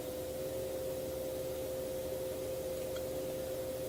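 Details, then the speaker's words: Enermax NeoChanger water cooling pump, microphone as close as possible, ramped from 1500 to its maximum 4500 rpm; quiet steady fixed-pitch whine, no grinding or rattle; normal pump running at full speed. "goes from 1500 to 4500 and that's the loudest is going to get so yeah as you can see as far as acoustics go it's not all that terribly loud"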